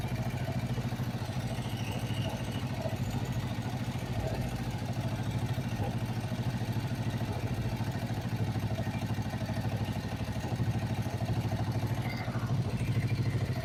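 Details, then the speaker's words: Kawasaki Vulcan 500 twin after valve adjustment, carburettors just synchronised: even steady idle at a quick regular beat, no hunting or misses, both carbs pulling evenly; normal idle with synchronised carburettors. "Bueno pues ya tendríamos la sincronización de de los carburadores"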